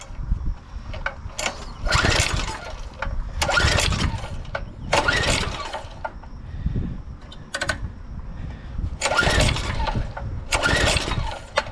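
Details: 2007 McLane reel mower small engine before the carb clean, throttle up and on run, gummy throttle suspected. Cranking bursts about every second and a half turn it over repeatedly but it never catches; cranking no-start, cause unconfirmed.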